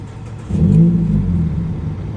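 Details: 2012 Mazda 3 Skyactiv with check engine light: engine catches, surges briefly, then runs low and uneven with sagging revs and dies; rough idle and stalling, cause unknown.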